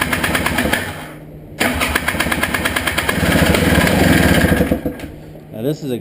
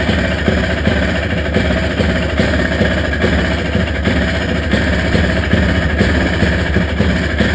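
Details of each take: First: Honda Odyssey FL350 buggy after a carburetor clean of clogged main and slow jets; it runs rough, cuts out, catches, then sags and hunts as it tries to die. The previous owner reported it runs a while then won't run and is hard to start. Cause not found. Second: Honda Odyssey FL350 buggy, first start after its carburetor was cleaned of a clogged main jet and slow-speed jet; it starts first time and settles into an even, steady idle with a low rumble, no misses or surging. Normal idle.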